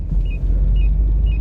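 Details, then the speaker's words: 2.4 petrol KIA Sorento XM at minus 5 °C, after front and rear stabilizer bushings were replaced to cure a suspension noise that worsened in frost (struts were fine): over speed bumps only a low steady cabin rumble, no knocks or clunks. "лежачие полицейские никакого шума постороннего нет"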